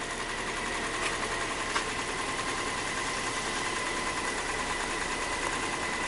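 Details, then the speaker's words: 2002 Nissan Maxima with misfire codes at idle: uneven, slightly stumbling beat with busy top-end buzz, sounds like a diesel; smooths out somewhat around 1000 RPM; rough idle misfire. "engine sounds like a diesel all right let's look at some data see if we have a misfire"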